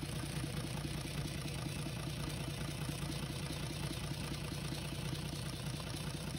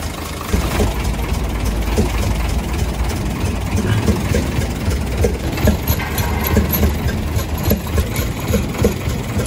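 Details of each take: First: UD Nissan PKD 411 truck, NE6 six-cylinder diesel after intake valve repair, tappet cover off checking oil flow: steady idle with even low beat about two per second, no knock or tapping; normal idle. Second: UD Nissan PKD 411 truck, NE6 six-cylinder diesel at idle: soft chuk-chuk chuffing with the firing beat, louder from the intake side; intake valve found leaking.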